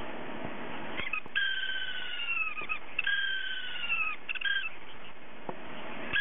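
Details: Hard drive whose spindle motor bearing has gone bad so it can't spin properly; repeated high falling cat-like squeals about a second each over quiet clicks, spindle bearing failure.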